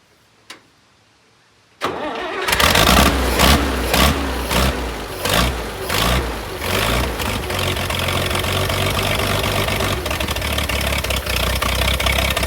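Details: International 656 gas tractor, carburetor float needle sticking and overfilling with fuel: catches after short crank, surges and stumbles unevenly, then settles lumpy; rough running from flooding carb, carb to be cleaned.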